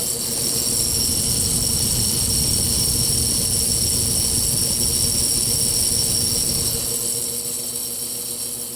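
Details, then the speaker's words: GE W22 box fan motor on low speed: steady low electrical buzz over soft motor hiss, absent on medium and high; caused by a loose shaded coil in the stator, long mistaken for a bearing issue. "It is not supposed to sound like that. It does not do it on medium or high."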